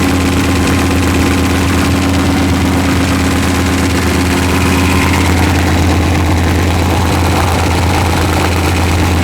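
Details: V8 with forged pistons, idling during run-in near 155°F: loud lumpy idle with a deep steady repeating knock; pan removal found an out-of-round crank journal and loose rod bearings 3 and 4.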